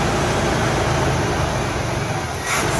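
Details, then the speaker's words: 1979 Camaro Rally Sport with 267 miles, first start after sitting 46 years, kept running only on brake cleaner with no fuel supply yet: a steady, even V8 rumble with no knocks, misses or rattles; it sounds healthy. "But it sounds good. >> Oh, my bad. Wow, it's awesome. I mean, it sounds great. I just got to get fuel in there."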